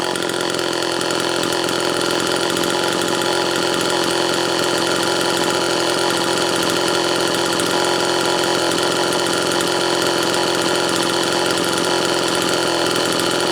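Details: Homelite Super XL two-stroke chainsaw after new piston installation: steady, even high-pitched buzz at constant speed, no misses or rattles. Normal running.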